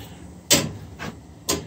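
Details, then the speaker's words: Older residential steam boiler, after fitting a probe-type low water cut-off and feeder: sharp metallic water hammer bangs about once a second in the piping while water is added slowly. "sorry about that water hammer folks I have to work on that later"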